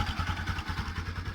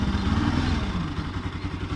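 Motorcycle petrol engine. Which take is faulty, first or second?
second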